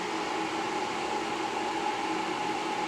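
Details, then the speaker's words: Camel MMA250I 250 A inverter welder with four burnt-out IGBTs, diodes checked. Powered up through series power: a steady fan rush with a faint constant high hum and no crackle, buzzing or cutting out. Normal running. "अभी मैं इसको power दूंगा, देखिए मैं इसको power दे रहा हूँ, तो चालू हो गया।"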